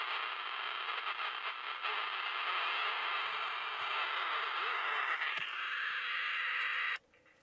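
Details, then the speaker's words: Cheap 10-transistor AM/FM pocket transistor radio with loud hissy noise and a thin steady whistle, then cutting out; squeals and howls when turned up, distorted on AM; owner says it needs capacitors, slightly improved after an hour's running. "the only thing is you turn it up and it squeals and howls"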